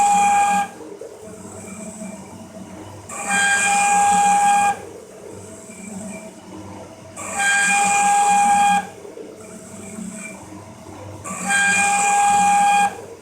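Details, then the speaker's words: Cincinnati 24-inch metal shaper parting off a gib, ram slowed to 14 strokes a minute with 13.5-inch travel, long holder: shrill ringing screech each stroke, chatter; owner suspects cutter geometry or part harmonics, not confirmed. "it could be the geometry of the cutter too yeah it sounds like horrible but"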